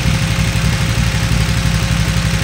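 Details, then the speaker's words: 2008 KTM 990 Adventure S V-twin, 6,500 miles, after 15-minute TuneECU adaptation reset: steady smooth idle with no throttle, fan running; bike stalls whenever throttle is chopped after revving, weak spot around 4,000-4,500 rpm. "Now, no throttle. Idle's just fine."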